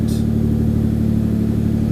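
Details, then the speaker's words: Freshly refuelled engine after fuel pump swap, first start before dyno, very cold, no coolant: lopes unevenly with a heavy, blubbery exhaust note and won't rev cleanly; running very rich, needs a tune. "eventually we'll have probably probably very rich mixtures as well. So, well, she's not liking revving because she's very, very, very cold. Really does need a tune, so we'll get on to that one next, I think."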